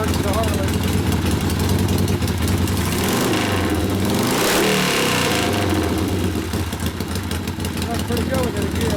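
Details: 1972 Harley-Davidson Sportster XLCH Ironhead after case repair and motor rebuild (kick starter wouldn't turn the seemingly locked motor): lumpy, uneven V-twin beat with a brief rev that settles back, fresh engine running in; normal running.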